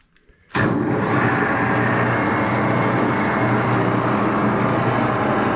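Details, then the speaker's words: Axelson lathe with exposed open-end gear train, after rear Timken spindle bearing adjustment, starting up: motor starts and settles into steady hum with even gear whir, no knocks or grinding; running normally. "I'm going to start it up and show you the the gear train in action okay here we go"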